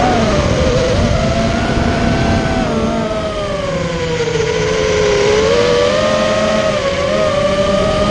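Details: Immersion Vortex 250 Pro brushless motor test run after a repair for bad bearing sounds: an even, high whine drifts gently with throttle, with no gritty rasp or rattle, so the bearings sound healthy. One motor is barely warm and the others feel fine.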